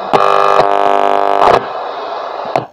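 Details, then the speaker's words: National Panasonic RX-1490T radio cassette recorder (no FM; MW, SW1, SW2) during servicing: steady buzzing hiss on an empty shortwave band where no signals are received, then switched off; radio works fine, only reel-winding pulley faulty. "तो दोस्तों, radio बढ़िया काम कर रहा है। Radio में कोई समस्या नहीं है।"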